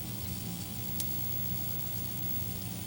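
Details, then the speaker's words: 25" K7000 arcade monitor chassis powered up: constant frying-bacon crackle with low hum and occasional snaps from the faulty flyback transformer, high voltage too energetic; shorted red transistor also suspected; flyback to be replaced. "i can hear the flyback making weird noises it's like it's cooking bacon in a fryer or in a pen it's crackling over there"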